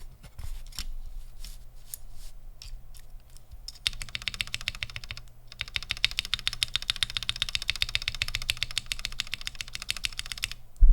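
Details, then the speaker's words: Mechanical keyboard stabilizer test, Gateron Ink V1 switch held tight in PCB: sparse presses then fast run of sharp clicky taps, small ticking rattle from the stabilized key. "let's listen again [Music] definitely ticking I'm holding on the switch at least you know just so it stays tight in the PCB both siid"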